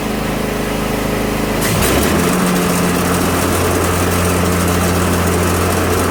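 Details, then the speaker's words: Craftsman Z530 zero-turn, customer complaint of rough-sounding blades: on engagement the steady engine drone becomes a loud, rough, grinding clatter, the deck vibrates badly and the idler arm jumps. Suspected cause: bad belt, worn spindle or idler pulley bearings, or a bent blade. "The deck is vibrating pretty bad. We can see the idler arm jumping up and down a lot. That can be caused by a bad belt. It can be caused by a bad bearings in one of the idler pulleys or in one of the spindles or a bent blade."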